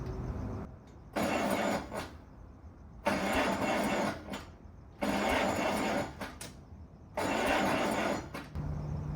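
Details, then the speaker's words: 1950s Allis Chalmers CA tractor, freshly freed seized engine after 20+ years sitting, cranked in neutral with clutch in: four steady cranking bursts with pauses, never catches; no spark found, coil, cap and rotor then replaced. "We weren't getting any spark, so I went ahead and got a new coil."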